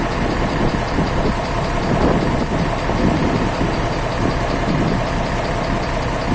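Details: Isuzu 12PB1 diesel started after a full overhaul, old burnt oil still burning off, smoke much reduced; steady even diesel clatter with smooth low rumble, no knocks or misses, running normally.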